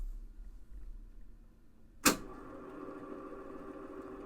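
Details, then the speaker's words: Realistic 999B reel-to-reel deck switched on with no tape loaded; near silence, a solid clunk as the transport engages, then a low steady mechanical hum, ordinary running noise for this deck. "Now this thing does make a little bit of noise whenever you turn it on."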